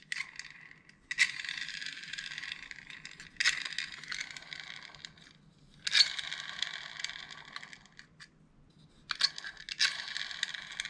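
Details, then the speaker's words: Airsoft DSG M4 V2 gearbox after shimming (0.1 shim replacing a 2.5), gears and shell refitted, turned by hand: short bursts of light high whir with no catching or grinding. Free spin without binding. "Recently, there have been quite a few techs sending me videos of them free spinning the gearboxes like this and asking if it sounds good. I mean, yeah, I guess."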